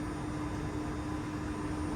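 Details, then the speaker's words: Variable-speed electric AC compressor, engine off, fed hotter cabin air: steady high electric whine with smooth hiss, spinning fast under heavy load, healthy; system holds max 480 g refrigerant. "you hear that the compressor is spinning really fast now because it's continuously getting this hotter and hotter air"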